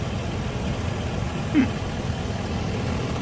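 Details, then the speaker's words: Engine idling under the hood of a car with a check engine light and no throttle response, battery from 2021; quiet, even idle hum with no knocks, ticks or misses, purring like a kitten; normal idle. "it's running it's burned like a kitten yeah you can hear it it sounds nice and quiet"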